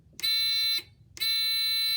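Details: littleBits buzzer circuit (power bit, pink button bit, green buzzer bit, magnetically connected), powered on as a complete circuit: two clean, shrill high-pitched beeps, about 0.5 s and 0.75 s long; working properly.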